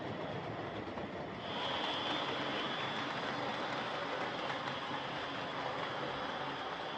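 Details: Old Hornby Dublo R1 0-6-0 tank locomotive, possibly about 60 years old, brushes worn right down, heavily run, motor adjusted; loud harsh steady whirring rasp on the layout: excessive gear noise.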